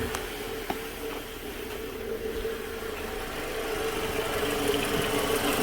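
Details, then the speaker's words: 2007 Toyota Camry, idling with a roaring, whirring hum and a faint clicking from the rusty alternator, quieter than before and possibly changing with heat; a failing alternator bearing is suspected, and the alternator is being replaced. "It's not as loud as it was, but if you look down here, see all that rust over in there? I got a funny feeling of bearings going out on it or something."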